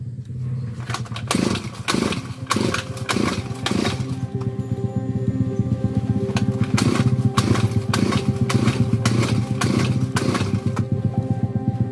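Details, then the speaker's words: Grass cutter, has fuel and spark, dirty carburetor cleaned and primed with gasoline: repeated pull-start bursts about once a second, coughs and briefly catches but never settles; hard starting, fuel not flowing suspected. "Ayaw na naman. Ayaw pa rin naman pero sana pwede na to. Ulit na natin."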